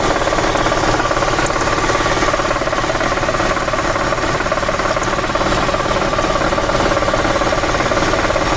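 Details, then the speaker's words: Audi A8 engine brought in for knocking: fast light metallic chatter over idle, not a true knock, traced to worn bushings of the swirl flaps in the intake manifold. Intake manifold swirl flap rattle. "найдено причина стука вернее это был не стук а дрес а именно во впускном коллекторе у нас есть такая ерунда вихревые заслонки"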